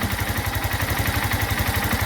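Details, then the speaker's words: Yamaha Crosser motorcycle, owned since new: steady single-cylinder idle with even firing pulses and a light mechanical tick on top, a sound every Crosser has; normal engine noise at idle, not a defect. "Esse barulho é normal na Moto Crosser, não fique achando que é defeito, não fique achando que é problema, é um barulho extremamente normal e toda a Crosser tem, né?"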